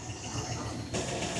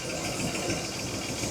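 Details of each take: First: 1961 Buick LeSabre nailhead V8 on first start after sitting, running on gas from the tank despite a fuel leak, before water is added: deep, steady burble with an even beat and no knocks or misses, idling smoothly and healthy. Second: 1961 Buick LeSabre convertible with Nailhead V8, first start after sitting, with a gas leak: steady healthy idle with a light, quick valve tick riding on top.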